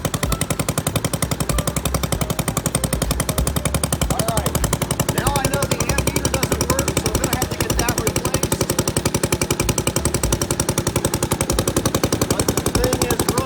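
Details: 1963 Wheel Horse 753 garden tractor single-cylinder engine, first start after sitting, with the carburetor, ignition coil, air filter and spark plug replaced: a strong, regular chuffing beat at steady speed with no skips, running fine with the points sparking correctly.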